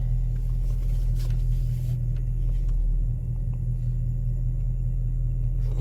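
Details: 1999 Honda Civic EK before catalytic converter replacement, started after sitting in sun (not fully cold); deep, loud, steady throaty rumble, possibly an exhaust leak at manifold or converter, unconfirmed; loud exhaust at idle.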